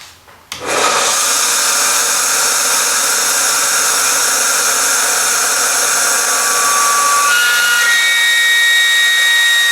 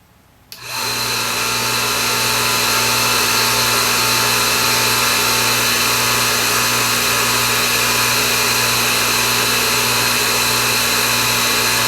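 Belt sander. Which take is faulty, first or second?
first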